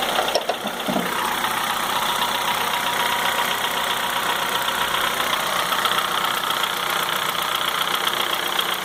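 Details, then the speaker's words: 2004 Honda Fit 1.4 LXL petrol CVT, warm idle: sharp metallic diesel-like clatter ticking fast and evenly, much quieter when cold and very noticeable once warm; cause not pinned down. "então aí eu fico um barulho semelhante a um motor diesel e quando o carro está frio esse barulho é muito muito muito inferior quando ele esquenta é que ele começa a ficar bem perceptível mesmo"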